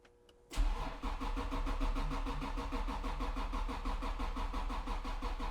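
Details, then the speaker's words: Acura NSX six-cylinder at 100k miles, starter swapped at that service, jump pack in 200 A engine-start mode: a long, steady fast starter churn that never catches. Extended cranking with no start; cause not yet known. "this is on the engine start mode these have cooled down it's 200 amp engine start that's full blown rage mode and this is what we get we get a lot of cranking but"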